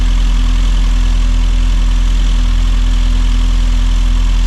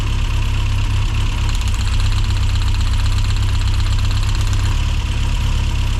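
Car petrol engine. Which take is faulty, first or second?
second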